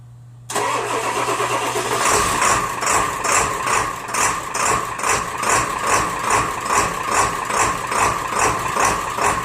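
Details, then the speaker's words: Diesel truck after new glow plugs, fixing hard starting and white smoke in chilly weather, one glow plug cycle: quick crank catches at once into steady, even diesel clatter about two and a half beats a second; normal cold start. "I'm gonna make the glow plug cycle just one time and you're gonna hear how it starts cold start"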